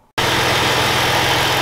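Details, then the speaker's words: 2011 Ford Explorer 3.5 L that sat unused and wouldn't turn over, started after belt refitted (clutch pulley issue, alternator likely needed): catches at once, smooth quiet idle, no belt squeal or grinding. "all right well i got some good news for the customer at least temporarily but i got the belt back on and started it up and it's really quiet i'm surprised"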